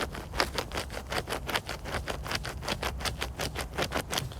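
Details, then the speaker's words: Renault Zoe 5AQ electric motor at 54,000 miles, end-cap bearing spun by hand with the phone resting on the motor: a gritty train of uneven clicks and rasps. A badly notchy, worn ball bearing. "yeah really grally really notchy quite bad inside"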